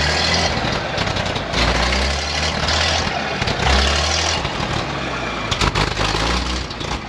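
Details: 1956 GMC 630 fire truck, 503 straight-six with carburetor, rescued off a farm, idling after revival: steady, even low rumble, no misses or knocks.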